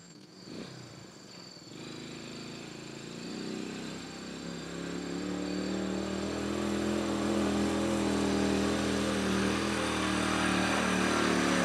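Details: 1968 Honda Trail 90 that sputtered on the road, after the sticking carburetor slide was fixed: the small single settles into a steady, even putter that grows louder and smoother as it warms, with no stumbling. It now idles healthily.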